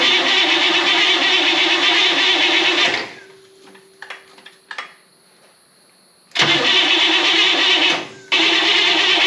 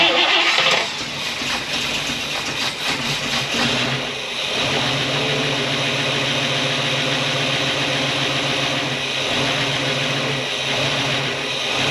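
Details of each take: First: 1964 Buick Electra 225, 38,000 original miles, rebuilt after an engine fire, first start attempt: repeated cranking bursts, starter spinning evenly but engine never fires; distributor installed 180 degrees out. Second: 1964 Buick Electra 225 V8, 38,000 original miles, rebuilt after an engine fire: after a short rev it settles into a smooth, quiet, even idle with no knock or tapping; normal idle.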